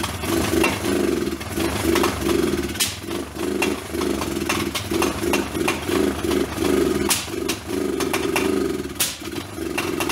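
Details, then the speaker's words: Old Kawasaki four-wheeler, first start after rough top-end rebuild with hand-ground valves; single-cylinder stumbles and surges unevenly with sharp pops every second or two. Suspected ignition or low voltage, so a car battery was jumped to it. "I knew that had some kind of problem with the ignition and went ahead and hooked the car battery up to it and some jumper cables and boys see what happened"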